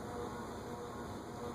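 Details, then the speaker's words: Unknown vintage top-mount ceiling fan on a solid-state speed control, drawing 0.32 A, gives a steady electrical motor buzz, showing it is not suited to solid-state control. "Now you can really hear it. Yeah, that's usually a good indication that it's not an ideal fan for solid state control."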